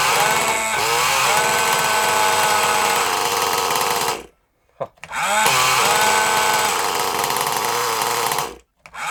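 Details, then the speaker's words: Kyosho Mini Inferno nitro engine, started with a weak starter box: high, buzzy revs that sag and cut out between throttle bursts; mixture sounds very rich, needs leaning. "let's try a little bit leaner because it sounds really really rich but you know we'll find out"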